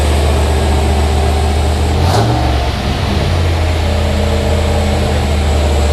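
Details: 5.3 LS L33 turbo V8 in an S10 truck, first official start: deep, steady burble with a quick throttle blip, settling to an even lumpy idle; normal running.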